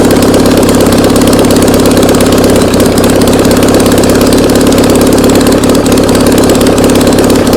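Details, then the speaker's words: Classic VW Beetle flat-four that sat for two years, running on a start stand. Loud, steady flat-four chatter at a fast, even beat with no misses or stumbles; the engine runs well. "Hey, it runs. Come check this out. This thing works awesome."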